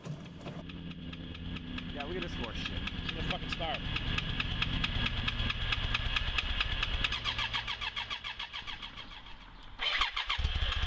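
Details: 1992 BMW K100RS 16-valve with a weak battery boosted by a charger: starter cranks in an even rhythm of about two beats a second before the engine catches.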